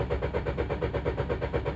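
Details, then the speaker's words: Renault Duster with an intermittent starting problem, rail pressure fault seen earlier: the starter churns steadily at about four pulses a second but the engine never fires; crank, no start. "आप देख सकते हो crane कर रहा हूं but start नहीं हो रहा है आवाज सुन सकते हो तो यह मेरा प्रॉब्लम है"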